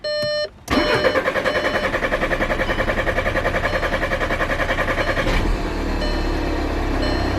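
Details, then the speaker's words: 2014 VW Passat TDI diesel, right after replacing and coding a new injector: starter cranks steadily about eight turns a second for over four seconds before catching and settling to idle; owner guesses fuel pressure had to rebuild. "I had to build the fuel pressure back up, I'm guessing."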